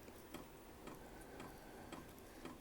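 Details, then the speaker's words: Vevor 5 kW diesel heater (vertical all-in-one) first startup, powered by a lawn tractor battery: light even ticking about twice a second over a soft fan hiss as the fuel pump pumps; said to quiet once running. Normal fuel pump ticking. "to me that's not all that bad and from what I understand they quiet down quite a bit once they get going"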